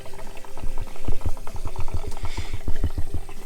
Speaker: you hear that you'll hear the air being sucked in through that safety valve and the water will drain fairly quickly